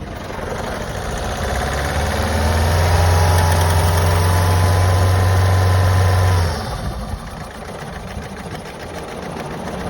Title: Vauxhall Astra j rough idle lose of power